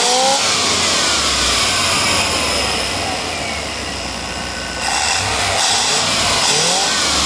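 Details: Whistling near the throttle body of a 5.7 Chevy V8: a thin, high whistle rides over the engine and climbs with revs, then falls back at idle, likely an air leak near the throttle body.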